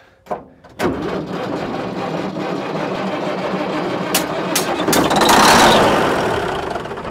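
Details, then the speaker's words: 1950s Euclid off-road diesel truck, sat 10+ years, cranked with ether and compression release: fires unevenly, swells a second or two then fades; running on ether only, not picking up fuel. "It was definitely running on ether only."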